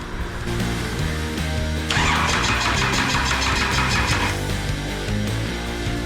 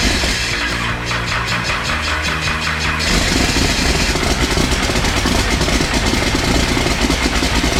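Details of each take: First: Cummins 6BT diesel with a small ZB30 starter, injector lines cracked open for bleeding and no fuel yet: steady quick cranking chug that never fires; engine cranks without starting. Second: Cummins 6BT for a Nissan GU Patrol build, first start after priming the oil pump: catches about three seconds in, settles to loud steady diesel clatter at idle with smoke; starts and runs healthy.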